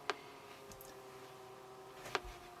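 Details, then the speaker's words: 1976 Astor MF029 flip clock radio at first power-up on the bench, before servicing, its motor whirring. Quiet room with a soft motor hum and two sharp, isolated clicks about two seconds apart from the clock mechanism. "I can hear something clicking."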